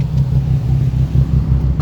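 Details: 2004 Nissan 350Z idling with AT check light flashing after problem appeared randomly: deep uneven idle rumble surging and dipping instead of holding steady; rough idle, cause unknown.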